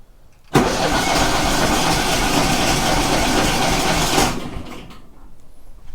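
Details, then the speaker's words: Kohler 18 twin on a Walker mower, cranked at full throttle with no choke and the good plug disconnected; about four seconds of quick, light, even cranking that never catches. One cylinder has no compression, with a stuck valve suspected. "well that's not good at all is it that did not move one bit okay um yeah no compression maybe we have a stuck valve which would be unfortunate"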